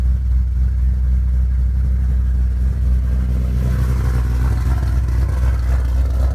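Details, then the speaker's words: Shelby V8 on E85 with GBA long-tube headers, off-road X-pipe and Magnaflow axle-backs, back running after nearly two years off the road with motor issues. A deep, even burble with no misses or ticks and a steady exhaust rumble: a healthy, smooth idle. "so there you have it pretty much it sounds good runs good"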